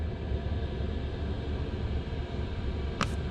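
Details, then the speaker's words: eBay 12V 5kW diesel air heater installed in a caravan, switched off after running flat out 10–15 minutes to burn off build-up: low steady rumble as the fan winds down evenly, no ticking or popping. Normal shutdown cycle, which protects the ECU. "I've turned it off it shuts down now it'll take a few minutes to shut down properly it goes through a lock a bit of a stage and it shuts down"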